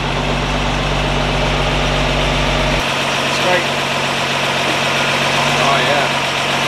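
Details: 1952 Ford F1 truck just revived, solenoid jumped, positive ground: steady low idle settling partway through with an even, unhurried beat; the old six runs smoothly.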